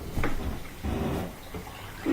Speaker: So right now it's doing circulation.